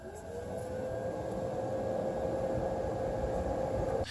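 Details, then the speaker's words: GeForce2 GTS 64MB graphics card fan: low steady hum around 500 Hz, barely audible over the other case fans; quiet and healthy. "Compare that to the GeForce2 which can’t really be heard over the other fans in the case."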